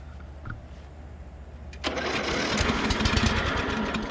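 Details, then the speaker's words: Salvaged riding lawn mower from a scrap pile; fuel pump working, air filter fair; on a shot of ether the engine catches after near silence and runs rough and uneven briefly, confirming spark and fuel. "wow, this might be easier than I thought. We got spark, we got fuel, so you only need spark, fuel, and air to run an engine"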